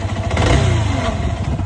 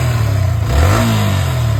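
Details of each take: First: Yamaha R15 V3 before repair, under light throttle: an uneven, clattery beat over the exhaust note, caused by a burnt magneto coil. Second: Yamaha R15 V3 after engine noise repair; revs up and settles into an even low pulsing beat with no tapping or clatter, the earlier noise gone.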